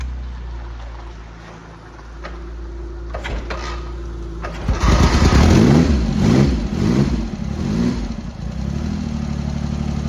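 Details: Triumph Hurricane X75 triple after reinstalling the rebuilt carb rack, first start with tickled carbs and half choke: it fires and settles into an even, steady low tick-over with no misses. It runs smooth on all cylinders; the throttle stop screw is not yet set.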